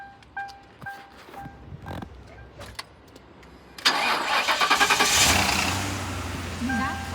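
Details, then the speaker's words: 2005 Ford Crown Victoria Police Interceptor V8, suspected bad fuel pump, runs only about a minute on fuel poured into the intake; on a jump box it starts right up into a steady fast idle, engine sounds good. "All right, started right up. The engine sounds good."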